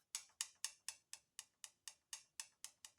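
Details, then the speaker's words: Briggs & Stratton Vanguard engine on a Cub Cadet 1440, engine off during valve adjustment, exhaust valve closed: crisp, bright clicks about twice a second as the rocker is rocked by hand; lash over 0.020 in, far too loose. "so we're at like 20 some thousands on this guy so that one's way out"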